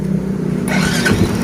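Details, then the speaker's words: Yamaha Vega ZR with a new battery and a good starter motor, weak pulser diagnosed as the cause of not starting on the electric starter: starter catches and the engine fires at once into a steady even idle; normal start. "Oke Mantap ya teman-teman langsung berhasil pada jika menggunakan engkol maupun double starternya"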